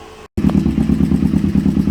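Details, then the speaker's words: Motorcycle at warm idle during carb balancing: fast light clicking from the head over a steady idle; timing chain slightly loose, slapping its adjuster, not bad, expected to quiet once the adjuster clicks to its next position. "i did uh find out that the clicking sound that we're hearing coming from the head is actually the timing chain it's not that it's bad it's just a little loose"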